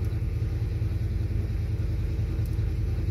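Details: 1991 Ford Fox Body 5.0 V8 with Holley Terminator X and stock Ford IAC, warming up: steady, even low rumble with smooth firing as idle target is changed from 1200 to 800 rpm; IAC responding normally.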